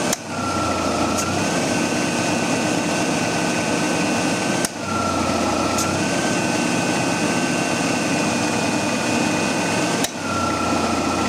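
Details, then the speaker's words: 1994 Ford Ranger, engine running while charging R134a: sharp A/C compressor clutch click about every five seconds with engine note changes, short cycling from low refrigerant; it stops cycling once enough charge is added. "let me get my keys and we'll get started you can hear the a see clutch cycling off and on"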